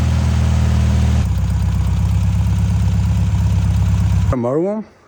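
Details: Abandoned, salt-corroded VW dune buggy (VW chassis and VW engine) after cheap rebuild and oil change: loud, even, fast idle pulse, no misses or knocks, then shut off; runs fine, though front carburetor leaks at hose connection.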